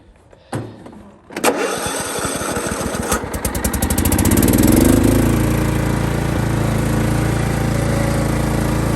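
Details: Kohler CV460 single-cylinder engine on 28-year-old Simplicity mower, after carb rebuild, new fuel pump, blown head gasket replaced and fresh oil: brief crank, catches on second try, revs up, then settles into a steady even idle. Healthy start and run.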